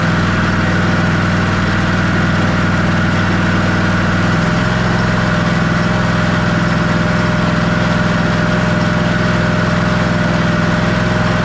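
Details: Ariens Ikon XD 52-inch zero-turn mower, Kawasaki FR691V V-twin, run about 10 seconds after refilling oil to the full mark during annual service; steady, even idle with a smooth low thump, no knocks, misses or hunting; normal idle.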